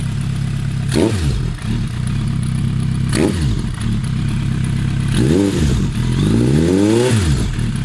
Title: Suzuki GSF Bandit 1200 strange noise on cold engine